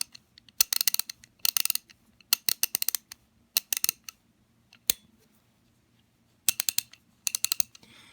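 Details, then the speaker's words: MAC Tools XR11PA ratchet after rebuild with XRRKA kit: crisp, even bursts of fast clicks on each back-swing, no slipping or skipped teeth; pawl engaging cleanly, far better than before. "Let's feel that. Oh yeah. That sounds and feels 100 times better."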